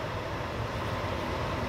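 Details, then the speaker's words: Propane furnace failed to light and locked out with the gas valve shut; blower runs on with a steady low rumble and no burner roar, purging the propane, during sail switch and limit switch troubleshooting. "it'll shut down the gas valve and then it'll say all right purge all that propane out of there just for safety hence the brown circuit"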